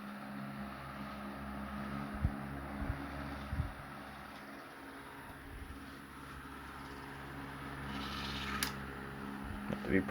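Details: Late-1910s/early-1920s Marelli Bisa 12-inch oscillating table fan on low: quiet, steady low hum with a soft even drone and a few handling knocks; runs smoothly and healthily.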